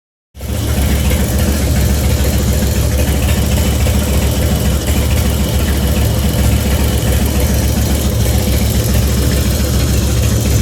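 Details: 2004 Harley-Davidson FXST Softail, almost 10k on engine, ridden hard: loping V-twin idle with light quick top-end tick that began after a recent fluid change to HD Syn3 in all three; cause unknown.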